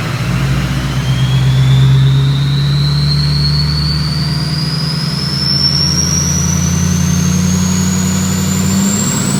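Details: 6.0 Powerstroke diesel in a race truck build, first start-up with an upgraded 6.4 starter and a 6-inch stack: a deep, steady drone held at about 1500 rpm with a faint rising whistle, running smooth with no knocks.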